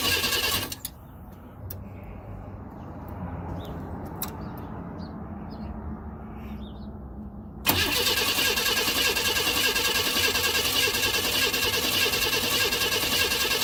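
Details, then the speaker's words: 1992 Chevrolet Camaro RS V6 cranks briskly at about three beats a second but never fires, with the starter ruled out. It has a new fuel pump, fuel filter, spark plugs, cap, rotor and injectors; fuel, spark and basic sensors were checked. Crank no start. "This is a 92 Camaro RS crank but no start."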